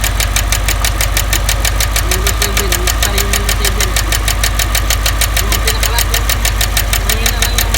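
A fast, even tapping rides over a steady petrol engine idle, roughly five or six light ticks a second. Cause suspected, not confirmed.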